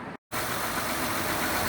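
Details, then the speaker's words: Honda Odyssey just started after alternator replacement with Denso remanufactured unit and serpentine belt refitted; smooth even idle, no whine, squeal or rattle from belt or charging system, voltage 14.2–14.36 V; normal idle. "So here it started up and looks good, no noise, and also the voltage is showing 14.2, and you can see 14.36."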